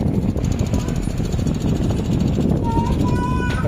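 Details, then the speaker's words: AC outdoor unit fan, customer complaint of noise, earlier technicians advised replacing fan motor/blade: fast rhythmic thumping flutter over the fan's rush, steady with speed; out-of-balance outdoor fan blade from a nest stuck to it. "మనకు outdoor side ఉంటుంది కదా, ఇలా sound చూడండి, fully sound వస్తుంది."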